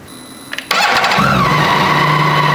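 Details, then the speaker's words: BMW K1600 GTL inline-six motorcycle during oil change, about 3.2 litres filled, run for 20–30 seconds: short starter whir, catches at once, settles into smooth, even idle with no knocks; healthy start. "Значит, теперь щуп я закручиваю, мотоцикл я немного опущу, запущу двигатель и дам ему поработать секунд 20-30."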